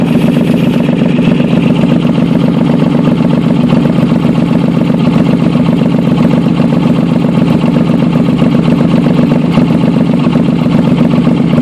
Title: VP Exhaust leak